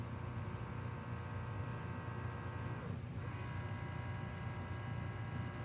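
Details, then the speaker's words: Sony CDP-CX335 300-disc CD changer, with a blinking green light, gives a table read error: a steady low motor hum runs with no carousel movement, suspected worn, corroded or missing carousel drive belt. "So, what I think the issue is is the motor is running, but the belt that moves the carousel wheel is either corroded or uh entirely missing."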